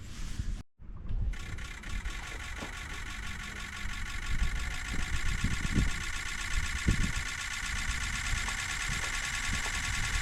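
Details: 2005 Ford F-250 with swapped-in 6.0 Powerstroke diesel, first start without turbo fitted and wiring partly temporary: starter cranks, catches and runs with uneven low knocking and a steady high whistle; rough running after first start, cause unknown.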